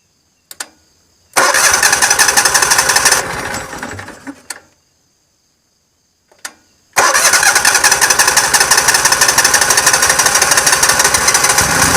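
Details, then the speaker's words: Yamaha EF12000DE / Robin RGV12000 generator on warm restart; starter churns about three seconds and dies, then a second long crank before firing; owner suspects an old, slow-opening solenoid: extended cranking before start. "I think reason I have to turn it over for a while start for a little while it's got to give that cello time to open up it's very slow to open up maybe because it's a little old and tired"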